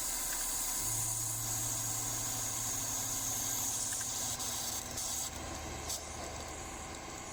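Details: Simplewater ECO12 12V 60 L/h desalinator in production, just before stopping it for a fresh-water rinse: steady pump hum, even low tone under constant hissing flow, no surging or knocking. Normal running.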